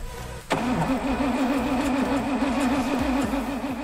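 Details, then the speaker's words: 1981 Rover SD1 3500 V8, sitting over 10 years: the starter spins the engine in a steady rhythmic churn but no cylinders catch; crank no start, fuel pump suspected of not delivering petrol. "we still had no luck with that method so we had to switch back to the funnel we think it may be a fuel pump that is stopping the petrol from working its way up to the engine"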